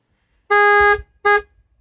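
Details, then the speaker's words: 1989 Lincoln Town Car Signature Series fitted with a non-original four-note Delco Remy horn (A, C, D, F) from a late-1990s Cadillac, replacing the original single-note horn: two full, deep, blended-chord blasts, a long then a short; horn working normally. "and that's what gives its big low high notes with a harmonious sound and it just gives the Cadillac War linol big attention it deserves sounds much better than the single note horn my car originally came with"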